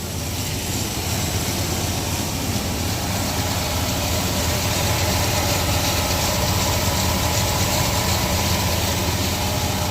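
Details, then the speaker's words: 1996 GMC Sierra C1500 V6, warm after a drive, idling after sensor cleaning for sputtering and hesitation; steady, even low rumble with no stumble or miss; a small exhaust leak remains; idle reasonably smooth. "I have a little exhaust leak which I had to change eventually just don't have the money for it right now so it's pretty smooth it's not bad better than what it was"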